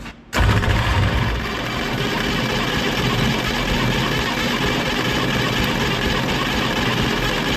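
Starter catches instantly and spins the engine at a steady, even pace for several seconds with no grinding or stalling, so it is cranking normally.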